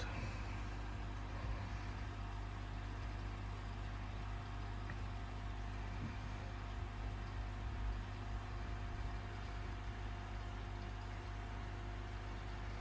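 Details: AquaEl Ultra 1400 aquarium filter running during flow test, diffuser removed: quiet steady low hum with faint even whine, no rattles; pump running smoothly, normal.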